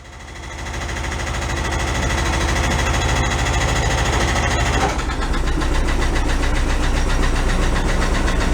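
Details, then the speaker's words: 1968 VW Double Cab truck, restoration started then stored several years in a tent garage: light quick ticking over idle, following engine speed, from a hydraulic (not mechanically adjusted) lifter not pumping up; common on these engines, a replacement lifter already fitted. "I put in another lifter in it but sometimes when you run them you're coming go away they're hydraulic lifters and this not mechanically adjusted"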